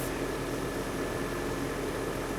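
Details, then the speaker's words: 1997 Nissan pickup with a battery light and stalling complaint, after the belt was retensioned: steady, even idle with a smooth fan-like hum and no belt squeal; it appears to be charging at about 14.5 V. "we don't have any belt squeal and it sounds like it might be charging"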